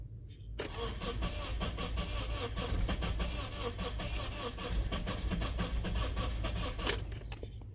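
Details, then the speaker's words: 2004 Honda CR-V towed in as crank-no-start, runs badly when it does start, cranking during a relative compression test: starter about three beats a second with a lurching rhythm; two cylinders low, one with zero compression, possibly a broken valve. "So, we got two cylinders that are pretty bad. Um, one of them's really bad. Like completely dead."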